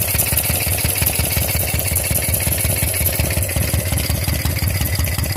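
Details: Shovelhead Harley V-twin at a loping idle with a faint steady hiss above the thump, traced to air leaking past a pushrod tube base seal.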